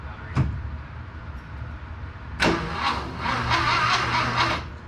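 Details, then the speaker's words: VW Bus with a freshly installed engine, first crank, battery weak: the starter whirs and turns the engine over steadily in bursts with a rhythmic churn but never fires; starter works, cranked to circulate fluids. "okay it does so the starter works and I want to crank it for a while just to get the you know fluids going and stuff"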